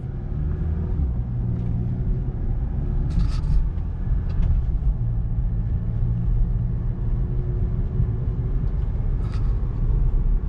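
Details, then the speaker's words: 2018 VW GTI SE test drive after tying down the rear parking brake lines, suspected of rubbing and squeaking: steady road rumble and tyre noise, no rear squeak over bumps; the squeak is completely gone. "It's gone, 100%. Nothing. Woo!"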